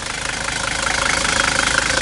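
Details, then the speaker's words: 1978 Mercedes 300D diesel with a new battery this spring starts fine and idles with even, rhythmic clatter and no misses or stumbles; a healthy idle. "but the car runs very good you know even binding just for the engine might be pretty decent the battery's very good so i put this new battery in this spring so you can see i mean started up fine"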